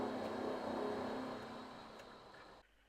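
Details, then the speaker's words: Vaillant boiler on heating at 80 degrees in P1 mode, about 37 kW into 22mm pipework, after 15 minutes: rushing roar with a rattle of about four beats a second. Valves are all open; the rattle indicates a blocked coil. "So the boiler is understandably getting a bit noisy. They don't usually rattle like this, though. This is a good indication that we've got a block coil."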